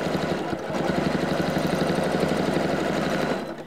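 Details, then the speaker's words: Janome CM17 Accurate Stitch Regulator during fast free-motion quilting: thin steady high squeal warning fabric moves too fast for the optical sensor, stitch length may be uneven. "it's squealing it's telling me I'm going too fast it also may be telling me it probably is that my stitch length may not be as even as I like to have it because I'm you know I'm not working cooperatively with the optical sensor"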